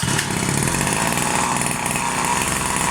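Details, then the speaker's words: Rovan Baja 5B RC car, new two-stroke engine: small steady buzzing, slightly uneven with a wet, blubbery edge. The low-end needle was too rich and wetting, fouling the spark plug; it was then closed a bit. "so the low end needle was a little bit too rich so what it was happening is it was killing the spark plug was making it too wet so I just closed it up a bit"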